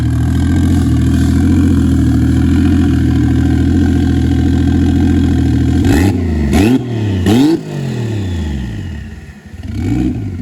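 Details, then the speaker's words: Toyota 1JZ-VVTi turbo six with new Tomei BX8280 turbo, engine hot, after idle air control valve fixed: smooth steady low rumble then three clean throttle blips; normal idle. "Alrighty, so if you can hear me, I got the idle air control valve sorted. Idles just beautifully now."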